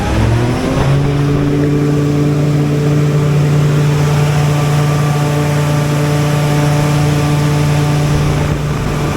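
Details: Generator given a final start-up after a minor service: a quick crank, it catches at once and settles into a steady, even drone at constant pitch. Normal start-up and idle.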